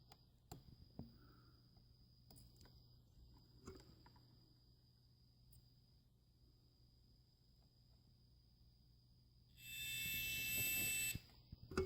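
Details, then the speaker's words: Davemade 16-pill amplifier under repair, multimeter continuity test at the input splitter: quiet probing, then a steady high beep of about a second and a half, confirming continuity. "Okay, so when I touch the case, we're gonna have a continuity. Hear the beep. Okay, ground beep."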